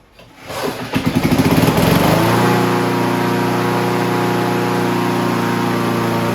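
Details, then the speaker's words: Honda HR17 push mower, year unknown (owner guesses early-to-mid 80s), flathead Honda engine, blade clutch cable still a makeshift repair: a few starter pulls, it catches and settles into a steady even hum with no misses; normal running after revival. "so there you have it Honda you cannot kill these machines HR 17 lives again"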